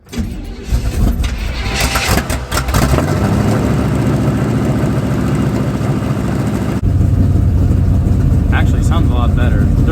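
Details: 1985 Chevy square body pickup with budget small-block Chevy and Brawler 650 carburetor, two pumps before start: cranks, fires and settles into a deep steady idle, no ticking or puffing; exhaust leak welded, minor leaks possible at unclamped joints.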